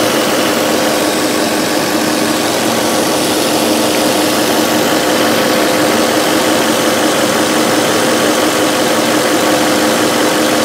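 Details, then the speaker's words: 2005 VW Touareg 4.2L V8 with stored lean faults, idling: even idle with a constant airy hiss and no misfires. Vacuum leak from a split brake vacuum hose, likely also causing a stiff brake pedal. "here it sounds like there is a pretty heavy vacuum leaf which would explain our stiff brake pedal and could potentially affect our fuel trims"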